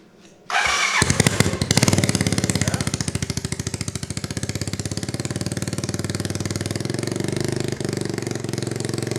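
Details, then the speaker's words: 1986 Honda Fourtrax 200SX first start after resleeved cylinder, new piston, rings and gaskets: fires at once, then single-cylinder thump wavers and sags instead of smooth idle; runs rough, owner suspects spark plug needs replacing. "it's not running exceptionally well yet um I think we should probably get a new spark plug that would probably help"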